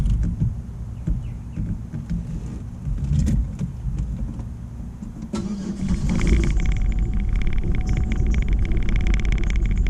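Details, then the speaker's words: 2006 Buick LaCrosse after unqualified prior repairs, with the AC switched off: a low idle with a slight uneven pulse and faint stumble. Slightly rough idle, cause not pinned down. "Take the AC off and it goes right back to just a slightly rough idle."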